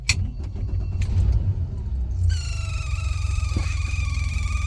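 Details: Sea Ray 19 boat, engine just started: over the low engine rumble a steady high electronic whine comes through the speakers, suspected back-feeding through the amplifier; cause unconfirmed.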